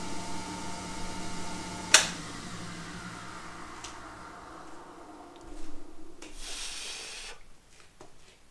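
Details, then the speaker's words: Schaublin 53 lathe with the arm removed and spindle at its lowest speed of 38 rpm: a soft airy hiss of oil-mist lubrication rises for about a second over the quiet spindle; the mist blows as it should and the owner is reassured. "Lorsque je mets en fonction la broche sur sa vitesse la plus faible, 38 tours minutes, eh bien je dois voir le brouillard sortir par ici. D'ailleurs je l'entends, là on entend que ça souffle."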